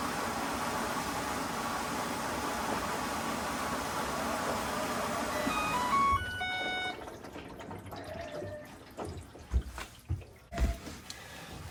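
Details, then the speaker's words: Whirlpool WFW87HEDC0 washer with F09 E01 drain error, test fill after repair with back panel off: steady rush of water into drum for several seconds, no knocking or pump strain, fills normally without draining. "I'm going to run the washer just for a couple of uh seconds to make sure it fills with water and it's not draining from there before I put the back panel back in"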